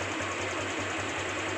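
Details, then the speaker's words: Honda Vario 150 scooter before CVT and clutch service, pulling away: smooth even drone with light regular pulse, no rattle or grinding; owner judges the sound still good and smooth on acceleration. "kita coba dari Suaranya kayak suara masih bagus ya masih halus sosial Us By pada tarikan"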